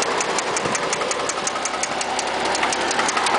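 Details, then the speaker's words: Toyota Cressida with 1JZ engine, low on fuel, idling and revving: steady sharp tapping about three knocks a second over the running sound; knocks badly but still drives, won't reach boost; suspected rod knock, not confirmed. "knocks real bad uh as you can see this is about as fast as uh as hard as you push on the gas it doesn't really hit boost but it dries and it knocks"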